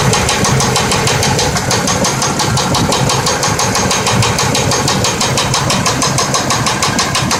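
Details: 1992 Buick Roadmaster, sat over a year; lost power on the freeway and began knocking: loud sharp knocking about three per second over a rough idle, deep bottom-end knock, suspected rod knock.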